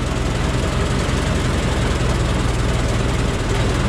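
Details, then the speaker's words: Ford Model T cold start after new muffler: even, steady low chuffing idle, quieter, no puffing leaks or rasp; runs smoothly. "all right so there you go okay so there you go that's what a cold start is like"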